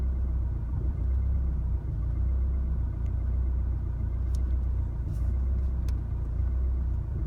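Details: 2016 Chevrolet Colorado 2.8L diesel, stopped in driveway after a highway drive; rough idle began in the neighborhood: deep rumble that lumps and wavers unevenly; idle settles after shifting to park and back to drive.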